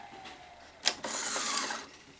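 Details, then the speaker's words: VCR with a severe sticking problem: on eject there is a sharp click, then about a second of gear whirring, but the tape never unthreads and no solenoid engagement is heard; the solenoid is suspected of not engaging. "it doesn't unthread the tape before yeah yeah it's not unthreading okay so i don't hear that solenoid engaging at all um that solenoid should actually uh you should hear it engage and i'm not hearing that"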